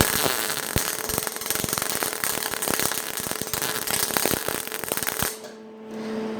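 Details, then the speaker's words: MIG welder on sheet metal, wire speed raised to 100: harsh, irregular popping and crackling instead of a steady sizzle, showing too much wire speed. "you can hear the change in it there. It's telling me too much wire speed."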